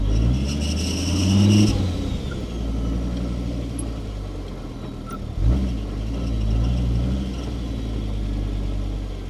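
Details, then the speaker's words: Volvo five-cylinder-swapped Mazda MX-5 Miata after a drive, idling: quick high chirp while clutch pedal is pressed, fading as revs rise; smoke and burnt-plastic smell also noted, cause unconfirmed. "And um also a chirping sound from when I pushed the clutch in."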